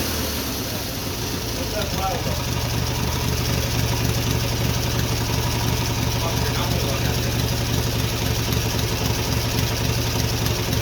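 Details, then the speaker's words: Twin-cylinder Briggs & Stratton mini bike, first start after a quick carburetor rebuild with a homemade black steel pipe exhaust; owner thought compression might be low (hard crank): low, steady, even thumping idle, no misses or knocks; runs well; normal idle. "okay cool cool all right not bad man it runs good I can't believe how good that runs honestly"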